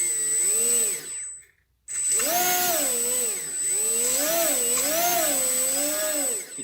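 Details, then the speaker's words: HobbyKing EZIO 800 RC glider after ESC throttle calibration and restart. A high motor whine wavers and intermittently skips or cuts out, less than before but still present. The calibration did not fix it; it is an ESC fault. "skipping from time time it's not doing as bad but it's still doing it's about esc"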